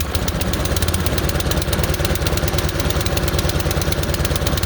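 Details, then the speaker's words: Craftsman snowblower small engine just started cold on full choke: it chugs at a fast idle with slightly uneven, rough beats; moving the choke off a click at a time smooths it, with popping at one click. "Now it's running a little rough, so I'm going to take the choke and I'm going to move it until it runs smooth."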